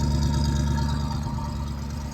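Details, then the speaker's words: 1967 Chevrolet Malibu (Chevelle) V8 barn find revived after 35 years sitting, idle adjusted up: low steady idle with even lope; valve train not very clattery, no noticeable tapping; idling fine while residue burns off headers and valve covers. "Some stuff's burning off the headers and the valve covers still from working on it all day, but the valve train doesn't seem that clattery. It's idling fine."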